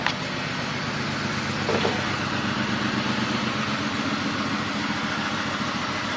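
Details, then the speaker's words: 2002 BMW 525i petrol six idling with check engine light on: uneven, stumbling beat of a misfire, scanner showing cylinders 2 and 4 misfiring. "oye la falla no sé si lo Oigan pero está fallando la falla"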